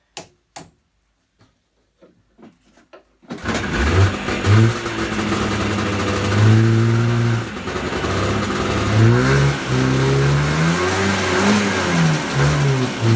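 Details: Yamaha Enticer 300 two-stroke snowmobile, unknown year, 120 psi per side, started after revival and repairs. A few clicks, then it catches and revs cleanly up and down, pitch following the throttle smoothly. Normal running.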